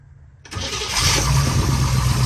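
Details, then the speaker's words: 1962 Corvette, warm, after ignition adjustment, distributor cleaning, corrosion and coil fixes: engine catches instantly and settles into a steady, even idle with no stumble; hard-start problem fixed. "starting right up and that's the way it should be so you had an ignition um adjustment and also the corrosion that was causing you problems"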